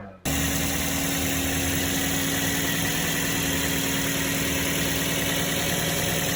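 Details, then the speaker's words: Toyota Vios/Yaris engine at idle, checked after finding no radiator leaks. Steady, even, smooth idle with no knocks or misses, described as the normal, typical sound of a Vios/Yaris engine. "nah jadi ini suara khas suara normalnya Toyota Vios Yaris dan e layaknya mesin-mesin yang lainnya ini adalah suara normalnya Vios normalnya Yaris dan mobil-mobil yang setara seperti itu"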